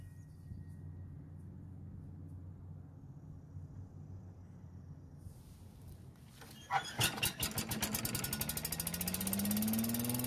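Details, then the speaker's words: Yardman walk-behind leaf vacuum/mulcher that wouldn't start after storage, after cleaning stuck carburetor of old varnished gas: quiet, then pull-start, quick firing catches and engine revs to a steady, even run; warming oil for change. "Now I did cut out about 3 minutes of running time so you don't have to watch, but I want the oil to be warm so I can change the oil."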